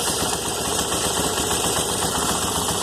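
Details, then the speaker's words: 2001 Yamaha TT-R250 just after a carb rebuild (new diaphragm, O-rings, spring) and new intake boot, no leaks: quick, even single-cylinder idle with no misses or knocks, slightly high pending throttle adjustment; normal idle. "She fired right up. Idle might be a little bit high. I've got to adjust the throttle still."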